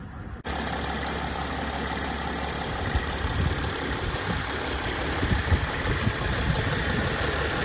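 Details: Mercedes ML320 (W164), idling then revved: rough uneven low rumble builds as revs climb, a deep grumble from the front near the radiator late in the rev; drives OK, cause unknown even to experienced techs.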